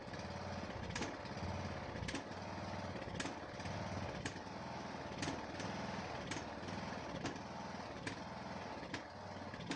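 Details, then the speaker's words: Neglected Ariens 42" riding mower, 17.5 hp Briggs & Stratton, Nikki carburetor, with fresh fuel, new filter and good fuel flow: the engine hunts with a sharp stumble or pop about once a second. Smooth only at certain throttle positions; owner suspects the carburetor. "Only seems to run smoothly at certain throttle positions. I'm not quite sure what's up with it. I'll have to do some more poking around. Definitely a carburetor issue, but not quite sure what."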